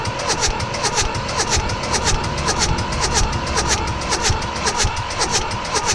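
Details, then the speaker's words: Mitsubishi D1800 tractor, KE95 diesel with overhauled ND injection pump, primed and cranked on a chilly day: steady rhythmic cranking that never fires, no fuel from the delivery valves; pump plungers not turning, so the pump was installed incorrectly. "huh nothing's happening now I remember last time it took quite a bit of cranking to get fuel to start showing up"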